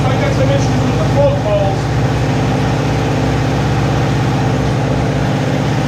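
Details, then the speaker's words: Neglected Kawasaki ZG1000 Concours after the gelled-up carburetors were taken apart and rebuilt: deep, even idle with a smooth steady beat, no misses, knocks or hunting. "put the motor all back together as you can see we built them and now we're going to see if it runs should run good we'll see Wow that sounds good"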